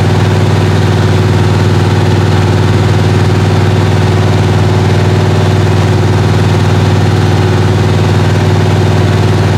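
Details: 1977 Malibu V8 at high idle for cam break-in, warming with head temperature about 150 heading to 180; steady, even high idle with a smooth low rumble and no knocks or misses; healthy.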